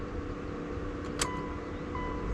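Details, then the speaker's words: Mitsubishi Evo after installing AEM boost, AFR and oil pressure gauges and reconnecting battery: steady loud whirring drone starts at key-on with even pitch; owner thinks it's the fan running, reason unknown. "What is that noise? Something is going crazy."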